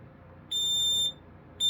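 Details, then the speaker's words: Kidde PI9000 dual-sensor smoke alarm, Nighthawk-logo version, on test: loud shrill beeps about half a second on and half off in an even, normal pattern, noted as rather slow, possibly due to the battery. "We'll give this one a brief test. See what it sounds like. Should sound like any other PI."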